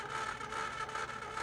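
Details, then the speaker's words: PS4 Slim that apparently took a fall, cracked case, discs won't insert: at console start a steady whir with rough scraping flutter, the disc drive mechanism grinding, top case dented. "sounds like there's some kind of a mechanical issue with the disk drive."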